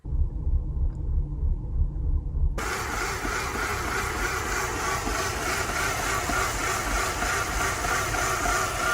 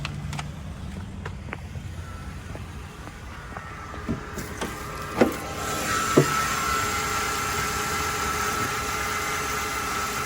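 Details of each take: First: 2005 Mercedes CLK 320 at a stop with a rough idle shaking the whole car: lumpy, uneven low rumble that surges and sags. Shop diagnosed a malfunctioning EGR valve; replacing the valve and gasket made the idle smooth. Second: 2005 Mercedes CLK 320 after the shop replaced a malfunctioning EGR valve and gasket that caused rough, shaking idle: steady, even idle hum with no stumble, a few clunks and a window motor around it; idle now smooth.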